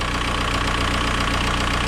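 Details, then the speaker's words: 2003 VW Beetle 1.9 TDI diesel, after running a while with check engine light returning: idle clatter with a steady hiss riding over it, sounding like an exhaust leak; exhaust smell in engine bay, likely underside. "And it sounds like there's an exhaust leak. That's what that hissing noise almost is, like"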